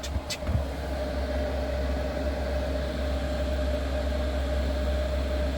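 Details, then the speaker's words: Diesel heater after a revamp with a new ultra-quiet fuel pump, running without its exhaust fitted: a steady low hum and even fan rush after a brief knock at the start, with none of the usual pump ticking. It runs normally. "So that's the heater running. I cannot hear the pump. Normally you'd hear tick, tick,"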